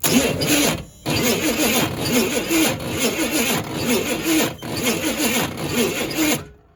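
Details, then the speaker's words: Chevy K5/K10 neglected for years, cranked with starting fluid: ragged cranking with weak, irregular sputtering catches that never settle; water found, believed cause of the rough turnover. "So that's probably why it's turning over so rough, and I was a little bit afraid of that when I found that there was water in there."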